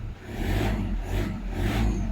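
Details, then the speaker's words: Car audio head unit/preamp tested for whine following engine rpm, with gain and bass turned up and no music: engine revved three times, no whistle rising with revs from tweeters; no alternator whine. "มาดูดี้ทวิตเตอร์นะไม่มีนิดไม่มีแม้แต่นิดเดียวเลยนะครับเสียงหวีดนะฮะ"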